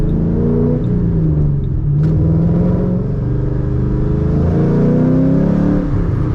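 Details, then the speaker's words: 2005–2009 Ford Mustang GT on a test drive after a fuel filter change: under load the engine note is lumpy and stumbles irregularly, still misfiring below about 3,000 rpm but clean above it and at wide open throttle. The owner wonders about the cam phaser. "it's only misfiring at low RPM now yeah wide open works it's just below 3,000 I think yeah once I get past 3,000 it stops misfiring"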